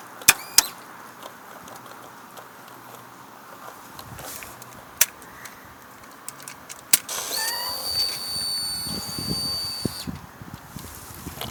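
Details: 2005 Kawasaki ZX6R 636 will not crank: pressing the starter button gives only a few sharp single clicks and the engine never turns over, even though the starter tested good and the battery is brand new and fully charged.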